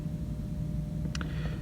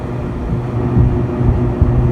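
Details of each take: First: Six-door freezer condensing unit with ice on the suction line makes a steady low hum from an energized contactor that has not pulled in; 238 V measured on top, 0 V on bottom, bad contactor suspected. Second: Freezer condensing unit at a six-door store freezer after repair, running for a while: steady low hum, constant tone, no rattling, chatter or cycling; pressures good and box cooling down, normal running.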